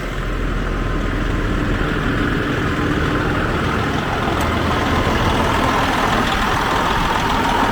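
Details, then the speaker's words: 2004 Freightliner Columbia heavy diesel, just started cold on starting fluid after sitting (raccoon inside), idling with a steady, even rumble, no knocks or misses; no black smoke, oil pressure normal, water still cold, air pressure building: normal idle. "It sounds good."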